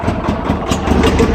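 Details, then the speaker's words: Cold start of a 1966 Clark 2500 lb forklift, gasoline flathead four-cylinder Continental engine, no accelerator pump, after sitting six months and flooding; lumpy, uneven idle with irregular pulses not yet settled, a little carb issue, rough cold idle. "Little carb issue on her. Cold."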